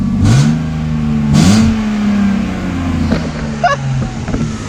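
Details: BMW E30 started after a fix, having juddered badly before. The engine blips up and settles back with clean, steady pulls and no stumbling between revs. It is running smoothly.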